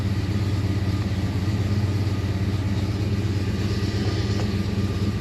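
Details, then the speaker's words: Fox-body Mustang, Holley Terminator X, after swapping in Fiesta-style (GM/LS-type) idle air control valve, cold engine: smooth, steady idle around 940 rpm, comes down off idle nicer, no hunting or misses; normal idle. "Comes down off idle a lot nicer now."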